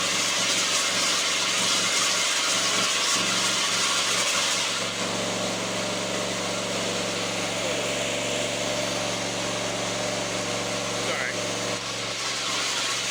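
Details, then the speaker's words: Lawnmower, not old, run with the deck off after cleaning: high buzzy run that briefly stumbles about twice in thirteen seconds. Intermittent misfire; choking clears it, so the owner suspects a fuel problem. "okay so still doing it once in a while it's not as bad but as soon as I choke it it actually helps because it almost it clears it for some reason and then it starts to running normal so weird it's almost got to be a fuel problem"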